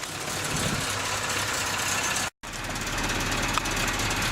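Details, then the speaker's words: Suzuki Samurai after welding a cracked catalytic converter/downpipe to fix exhaust leaks: steady even petrol idle, soft exhaust note, no puffing or ticking; much quieter than before the repair, normal idle. "that's the moment of truth she is quiet I think when I was dealing with was right where I welded it so it is definitely a lot quieter than it was before"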